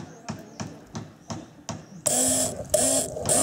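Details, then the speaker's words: Mercedes W210 electric fuel pump, previously very loud for a year, tested directly on the battery: light clicks then a harsh buzzing hum in short bursts as the pump seizes and jams. "так получается в обратке что этом чем там это заклинило он короче заклинил"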